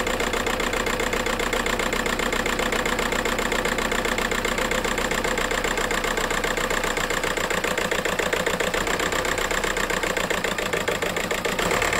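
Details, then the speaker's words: VW Golf 4 TDI 115 pump-injector diesel, hood open, rough shaking idle: uneven, lumpy beat about four pulses a second stumbling irregularly; misfire suspected from injector wiring harness or a faulty injector, diagnosis pending. "bon les amis il y a un problème d'injection donc soit le faisceau d'injecteur qui est connu sur les injecteurs pompes comme vous le savez tous soyez un injecteur qui déconne"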